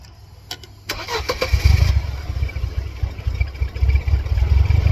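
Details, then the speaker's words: 1999 Mercedes-Benz C230 Kompressor (W202), flashing check engine light, mass airflow sensor unplugged: cranks and catches, then runs shaky with an uneven, lumpy idle and irregular low thumps and surging before stalling; running poorly. "Shaky. Stall out though. It's not doing good."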